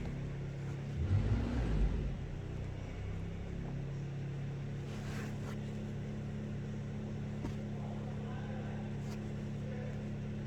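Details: 2012 Holden Commodore VE V6 at idle: low, steady idle with an uneven, stumbling beat, as if a cylinder is dropping out; P0300 misfire, with an ignition coil 2 circuit malfunction code reported. Cause not confirmed.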